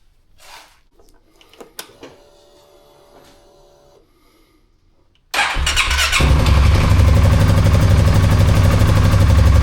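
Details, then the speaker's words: Polaris Sportsman 570 cold start after replacing the burnt stator/voltage regulator harness connector: quiet, quick crank and catch into a steady, even idle; charging reads 14.5–14.6 V cold, as wanted; normal cold start and idle. "Our voltage is right at 14.6, 14.5 on a cold start. That's pretty much where we want it to be."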